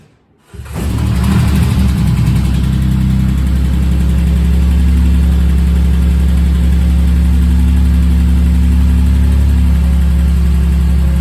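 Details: Rebuilt bored-over 3.9L V6 in a Jeep JK: cranks briefly, catches quickly and settles into a smooth, steady idle without ticking or knocking; healthy.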